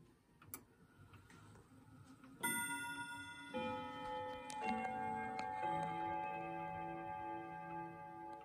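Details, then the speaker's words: Emperor grandfather clock, hands moved carefully to 11:15: quiet ticking, then a clear four-note run of chime tones that rings out evenly; the quarter-hour chime works properly. "I just ran it through and it chimed on the 11 o'clock it's supposed to chime on the quarter hour and I'm gonna carefully move it down to 11:15 so you can hear it do some chiming"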